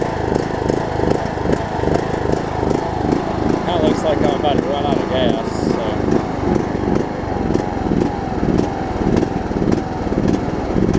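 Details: John Deere LA105 riding mower, unrun about three years, at about 40°F after draining the tank and cleaning the carb: single-cylinder engine surges up and down, never settling to an even speed; owner suspects leftover gunk in the tank.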